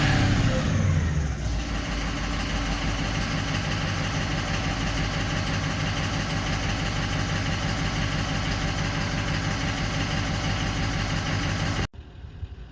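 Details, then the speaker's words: 2004 Ford 6.0L Powerstroke diesel after a damaged wiring harness section was spliced and repaired: the engine catches and settles into a smooth, even idle. Normal idle, symptoms gone after the repair, though harness movement may have played a part. "okay so basically what's uh pretty much happened here is our symptoms kind of gone away or it has gone away not kind of"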